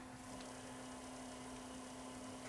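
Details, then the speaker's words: Vintage Realistic 8-track player on the bench after the drive belt was refitted turned inside out and the pulley secured to the motor shaft. The tape motor runs with a quiet, steady low hum, even pitch, no wobble or squeal: normal, smooth running. "it runs nice and smooth and nice and quiet"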